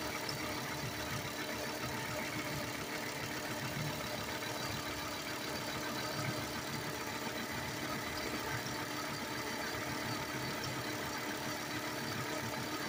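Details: 1998 Volvo S70 base five-cylinder, warm idle, timing belt replaced 8/2019 at about 140,000 miles: light, steady rhythmic chirp, quieter than when cold; owner suspects the crankshaft pulley/harmonic balancer area, though a stethoscope could not pinpoint any particular pulley.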